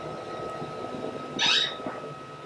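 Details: Honda S2000 clutch pedal: sharp high squeak as the pedal moves, from the ungreased clutch slave cylinder pushrod end; fixed by cleaning and applying high-temp urea grease.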